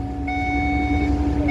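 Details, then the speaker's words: 2007–2014 GM full-size vehicle, engine running, after blower motor resistor replacement: steady electronic tone drops out briefly then resumes over a low engine hum; this is the normal seatbelt reminder chime. "I hate seatbelt tones."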